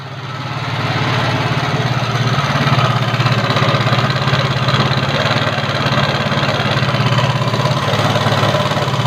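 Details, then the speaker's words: Yamaha Mio carburetor scooter with a rough-sound complaint: small single runs with a harsh, coarse, uneven clatter over a fast idle beat; rough running, cause still to be found. "Yamaha Mio karburator keluhan motor-motor suaranya kasar"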